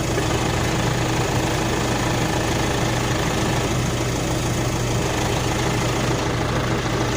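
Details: Nissan NP300 diesel idling with a lumpy, uneven beat and a low knocking rumble underneath; rough idle, cause not evident.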